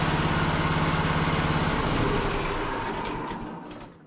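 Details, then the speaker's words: Cub Cadet lawn tractor, starter had cranked hard earlier (solenoid smoked), terminals partly cleaned with some corrosion suspected remaining: quick, even cranking about three and a half strokes a second, then winding down, no drag; normal cranking. "Seems like it's cranking up much easier than it was. Still think it's got a little bit of corrosion on those terminals."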